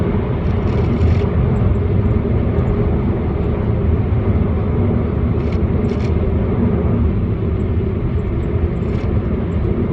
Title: Strange noise Volkswagon Passat